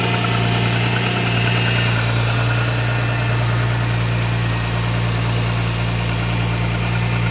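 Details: MG ZS 180 engine at steady low idle drone with a faint uneven tapping, roughly three per second; engine knock, cause unknown.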